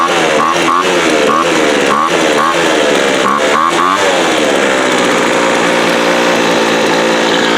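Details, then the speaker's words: 2007 Sears Craftsman 25cc two-stroke blower, rusty thrift-store find that sat outside, just fired up: small engine buzzes with pitch wavering up and down, then steadier; uneven running, owner suspects air-fuel mixture needs setting, not confirmed. "Shoot, man. That's finer than a frog hair spit 3 ways. I think we'll have to play with the air fuel mixture maybe."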